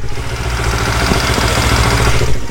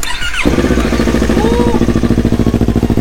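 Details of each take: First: Yamaha R25 with swapped-in R3 twin engine and Akrapovic exhaust, idling: loud beat with busy rattly clatter; cam chain tensioner not yet adjusted. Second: Yamaha R25 fitted with a Yamaha R3 engine and Akrapovic exhaust, first start after the swap: brief crank, then a smooth, even twin idle with a steady beat; runs healthy.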